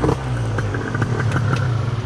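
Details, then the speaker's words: Gilera Runner 180cc scooter with newly installed Smart Carb SC2, before a further leaning adjustment: uneven burbling, soggy idle; still running rich. "so i mean it's cutting it down to a fraction of the time it's still rich"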